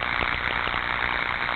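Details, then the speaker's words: Ultrasound recording of electrical tracking. Dense, steady crackling buzz with a fast flutter and no quiet gaps, showing 60 Hz peaks: surface tracking discharge. "okay and if i play this tracking sample and we'll set it as an overlay"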